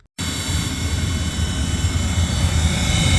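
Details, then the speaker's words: Furnace after reinstallation and gas hookup, blowing hot air: blower starts straight into loud constant rush with faint high whine; noisy blower, owner suspects damage from transporting and may pull the furnace again. "it's a little noisy but that's probably because of all the transporting but it's blowing hot air"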